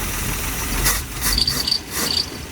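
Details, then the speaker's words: 1964 Dodge A100, about 51,000 miles, first start in about a month, idling: scratchy rubbing hiss with a thin high chirp coming and going from the loose belt; noise called normal, mechanical lifters. "Belts loose. That noise on these engines is normal."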